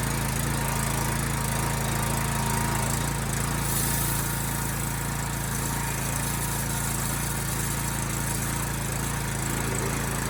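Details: Honda GX390 engine on a pressure washer, after carburetor cleaning to cure flooding and a fuel leak, with no leak after 5 hours: small single-cylinder engine holds a steady, even beat with no stumbling or surging; normal running.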